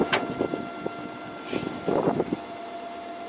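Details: Iseki TU318F tractor converted to electric, motor on a 12 V 120 Ah SLA battery, first movement after bleeding air from the hydraulics: steady thin electric whine with irregular clunks and creaks as drive takes up; moving normally.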